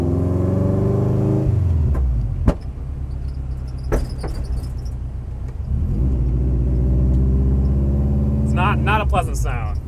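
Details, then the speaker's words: AWD Miata with brand-new coilover suspension, driving: sharp metallic clunks and bangs over the engine note, metal-on-metal contact; binding suspected, possibly shock bottoming out; not confirmed. "it's uh oh gosh that's not supposed to happen metal and metal contact sound back on the lift we go"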